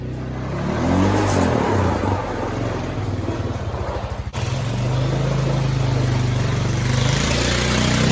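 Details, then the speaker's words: 2000 Honda Foreman 450 ES ATV, electric shift and start, 618 original miles, after petcock replacement; revs up cleanly, settles into steady even hum, no knocks or rattles; running good. "all right we've got this honda foreman 450 es it's electric shift obviously electric start running good no issues there"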